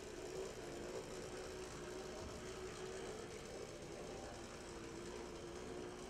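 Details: LMB HO brass model of a New York Central 4-8-2 Mohawk #3148 with an open-frame motor, running: constant thin whirring buzz, even and unbroken. Known gear noise, though the model otherwise runs well.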